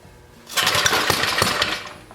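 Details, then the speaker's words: Free 1953 reel mower with a single-cylinder engine, recoil-started: a quick burst of sharp pops for about a second and a half, then it fades. Firing briefly but not sustaining, with the throttle stuck wide open. "Maybe I gave it too much. There we go. Woo! Now this throttle is stuck wide open."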